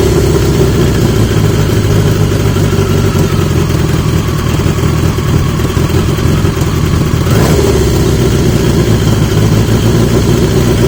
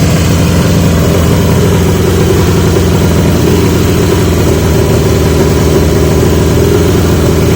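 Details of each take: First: 1980 Yamaha XJ650 four-cylinder after fitting new (old) exhaust pipes; deep, even burble, steady and strong down low, no blowing or popping; much better, healthy running. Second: 1980 Yamaha XJ650 with new (old) pipes; loud, steady fast-ticking idle that never settles; idle screw backed off fully and not touching the plate, so carb throttle isn't closing; owner wonders if needle height.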